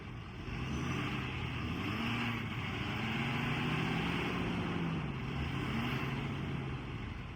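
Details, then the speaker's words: 2018 Ford F-550 crew cab XLT 4x4 crane service truck, 6.7 Power Stroke diesel, automatic, 48,000 miles: steady, even diesel clatter at start-up, idle rising slightly when the PTO is set, then holding level; healthy engine. "We're going to start it up, go through the crane operation, to show you how it works and how it sounds, and we'll go from there."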